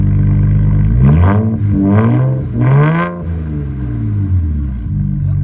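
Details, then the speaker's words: 2007 BMW E92 335i after misfiring on a hard pull, revved after a new coil pack and cleared codes: throttle blips rise and fall evenly, no misfires, stumbles or popping; fixed. "clear the codes start it up and check again way much better i don't i don't hear misfires at all give it a wrap give it a wrap"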